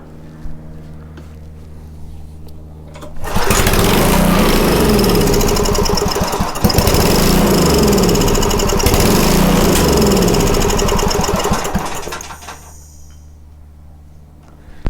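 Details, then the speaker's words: Homelite 2500 W generator that would not start: the engine catches and runs steadily for about nine seconds, then winds down and quits; the fuel pump is not filling the container, because the pump is not feeding fuel. "Trying to fill up that little container, see if the pump is working. Nope."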